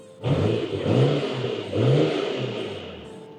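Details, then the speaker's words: Freshly imported Nissan Skyline R34 GTR V-Spec, just delivered, low on fuel, some dash lights on, good oil pressure: two quick throttle blips climbing and dropping cleanly with faint turbo whistle; healthy revving. "guys then these are the Nismo tail lights so she sounds really healthy"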